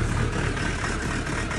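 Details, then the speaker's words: Land Rover Defender diesel idling after a fuel filter change: the low beat rises and falls instead of holding steady; lumpy idle the owner says it has always had, cause unknown. "it's quite a kind of a lumpy idle I'll let you listen to it for a second it's always been like that since I've had it"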